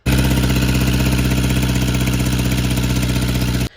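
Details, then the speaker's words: Volvo PV544 after a repair, freeze plug no longer leaking: loud, lumpy idle with an uneven, stumbling beat that cuts off abruptly; intermittent misfire, and revs rise and fall slowly at wide-open throttle. Cause not confirmed. "It's misfire sometimes, and it does not respond when I'm trying to give it a quick gas, like throttle."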